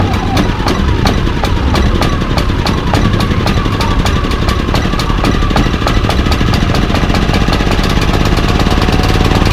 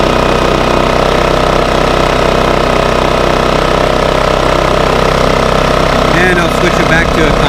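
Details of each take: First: Baliy 3700 W portable generator unused over a year, new spark plug and fresh stabilized gas: fast, loud ticking over rough drone, surging in eco mode and still rough with eco off; varnished carburetor with clogged jet. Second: Bailey 3700 W portable generator after carburetor cleaning, a new spark plug and the eco servo rotated back, running in eco mode: a steady, even drone with no hunting, misses or surging. Normal steady running.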